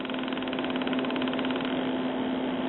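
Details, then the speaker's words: 1974 RCA 9-inch black-and-white vacuum-tube TV with no vertical deflection, back off: a steady low buzz with a thin ring from the vertical output transformer, changing as the vertical hold is turned. The yoke's vertical winding is open. "that vertical frequency that you hear is not coming from the Y it's coming from the vertical output Transformer down here"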